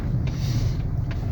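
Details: LADA Granta FL driving over bumps after the loose bolts on the right passenger door card handle were tightened: only a steady low road rumble, no knocks or buzzing from the door; no door panel rattle.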